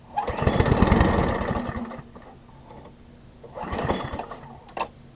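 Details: Craftsman 21-inch self-propelled mower, first start after fitting fuel line and temporary air filter: rough uneven chatter about two seconds, fades, catches briefly again; owner suspects carburetor float, later reset needle and seat to run.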